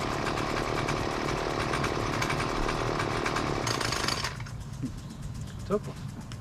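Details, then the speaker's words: Husqvarna two-cycle gas weed trimmer, about 20cc: buzzy engine runs rough and dies when left idling or when the trigger is blipped too quickly, pointing to the low-speed carburetor screw needing to be opened for more idle fuel. "if you let it running and just idling it eventually will stall out and also when it is idling and you hit the gas with the trigger if you hit it too quickly it will stall out so that suggests that the low speed screw on the carburetor needs to be adjusted"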